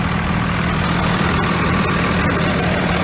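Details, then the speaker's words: 2001 Dodge Ram 2500 Cummins 24-valve diesel after replacing the failed VP44 injection pump, injectors all good; recorded by the exhaust, steady deep smooth idle with no misses, much smoother than before. "much smoother let me go down by the exhaust so you can hear just how beautiful it sound"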